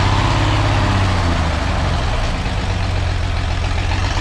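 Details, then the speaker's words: Six-cylinder engine stumbling at low idle with dropped beats: a misfire the owner traces to one spark plug wire touching another, during an exhaust leak repair. "still missing todd don't usually miss i just had add one wire up against the other one"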